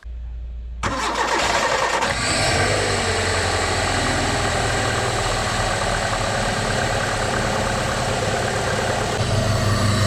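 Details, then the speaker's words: Daily driver with MAP sensor, no airflow meter, straight intake pipe with open filter: quick crank and catch, then steady even idle with loud hollow intake suck; healthy engine, noise is just induction from the open-filter intake. "so what you do is you just run a straight pipe with a filter and bang it's all the induction noise"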